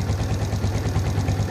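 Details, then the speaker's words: Suzuki Shogun FI (Shogun NR) had a hunting idle and MIL blinking 4 times for an ISC sensor fault; the ISC valve passage was blocked. After the repair the engine idles with even, deep exhaust thumps and no hunting, a stable idle. "Oke dan ternyata masih mudah untuk hidup dan Langsa mesin itu juga stabil tidak ada naik turun"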